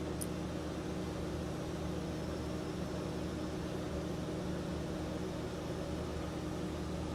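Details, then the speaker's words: Axial SCX24 crawler with Mofo RC Nano Beast 2.0 brushless motor (A1211, 2700 kV, longer stator), brass gears with transfer gear, lid off; quiet steady low hum with faint constant gear whine, no cogging. Normal running. "there you have it this is the mofo rc nano beast this is the 2.0 motor just a little bit bigger than the last one a little bit more power a little bit faster"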